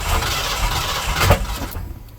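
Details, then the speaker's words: 1977 Ford truck turbo 351M with MSD box, first start after fuse fix; carburetor possibly flooding, smells of gas: brief rev then sharp stuttering as two-step launch limiter cuts in early, note falls away. "okay I wasn't supposed to two-step yet running backwards I am so confused"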